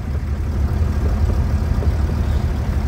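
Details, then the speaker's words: VW Crafter idling in gear with the wheel and driveshaft turning, center support bearing just replaced before the bolts are tightened; it had hummed for years. Smooth, even low rumble with no knock, whine or vibration: normal driveshaft running. "колесо крутится кардан крутится вот смотрите видите всё"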